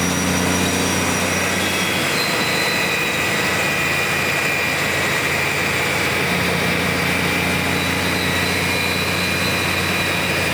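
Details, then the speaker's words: BUCKETMOUTH forestry stump grinder, 1.2 m wide, 1.7 m high drum over 6 tonnes, starting up: heavy, steady roar with low engine drone and rising high hiss as the drum winds from idle speed to full revolution smoothly; healthy. "Through this process, the drum will start up to idle speed of the motor, which it is just achieving now. And then you'll hear it go through its second phase to full revolution."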